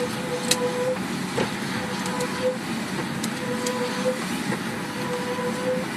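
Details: Car noise while driving that persists after the caliper was changed: an uneven ticking clatter of about 38 per minute over road noise. It is loud at slow and fast speeds and stops while the brakes are applied, then returns; cause unknown.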